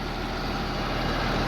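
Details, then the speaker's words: 3588 tractor with a freshly rebuilt diesel and new hood, which does not rattle, after a start in the mud: smooth, even low rumble at idle with no knocks, ticks or rattles. Healthy, quiet normal idle. "man she's just she's so quiet the new hood's not rattling fits good and tight"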